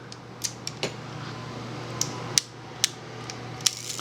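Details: Yashica Electro 35 camera modified with added manual shutter speeds, tested on bulb, one second and half second: crisp light clicks in pairs about half a second apart; shutter opens and closes cleanly, working properly.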